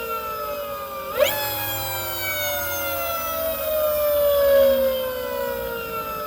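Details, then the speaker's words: Electric motorbike (96V battery) on a new controller at stock settings, old controller removed: clean motor whine climbs quickly with speed and slides down smoothly as it coasts, no rubbing heard as with the old controller. Normal motor whine. "now y'all let me know does that sound better to me the new controller sounds cleaner clearer the old one with the 111 sounds like something was still kind of kind of rubbing"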